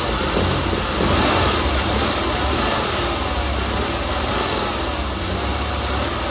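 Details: 2016 Chrysler Pentastar 3.6L, stated as about 2017 in a 2017 Dodge Ram 1500 regular cab, steady idle with a busy, uneven clatter over the hum; owner reports a massive cranking noise at start; source unknown.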